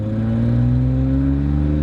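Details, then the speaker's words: 1994 BMW 325i convertible, stopped and given some gas: a smooth, even straight-six note climbing gently with no knocks or misses. It revs freely and healthily. "still got some power left it doesn't throw you back in the seat but it makes a nice sound"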